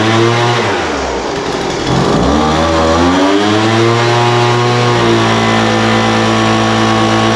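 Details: Poulan Pro 200 mph two-stroke leaf blower, received as a non-runner, after carburetor adjustment: idle mixture leaned out from too rich and top end tuned. Catches and rises smoothly to a high buzzing rev, settling clean without bogging; running normally.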